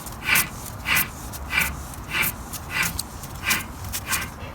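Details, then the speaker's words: VW Golf Mk5 TDI (55 plate), car on stands, rear hub turned by hand: raspy, hissing scrape in bursts about every 0.6 seconds; suspected worn rear wheel bearing, should be near silent, owner unsure. "but it doesn't sound brilliant to me I would have thought that should be silent more or less"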